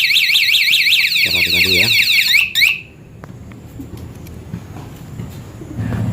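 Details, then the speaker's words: Honda C70 motorcycle with newly installed V12 remote alarm, locked via the padlock button: loud high warbling siren sweeping rapidly for about two seconds; the security alarm triggering. "Kemudian jika kita ingin mengunci motor, kita tekan tombol gembok ini ya, kita tekan 1 kali. Nah, apabila nanti motor ini disenggol, tekan di"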